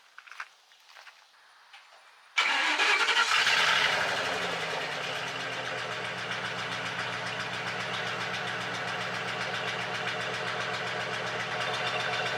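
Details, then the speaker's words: 1998 Ford F150 4.6 V8 with a bad head gasket, after Blue Devil sealer and a 25-mile drive, no smoke: cranks, then an uneven idle with a steady stumble, one cylinder dead. Owner suspects a fouled plug or a valve after two near-hydrolocks. "but now I am left with a dead miss. I got a cylinder that is down."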